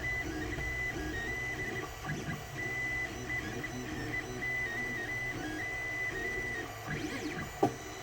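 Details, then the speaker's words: Creality Ender 3 3D printer running: steady high motor hum, then one sharp click near the end; extruder skipping again, print turning scattered, owner suspects it needs taking apart and cleaning out. "i just heard my freaking printer skip again god damn it"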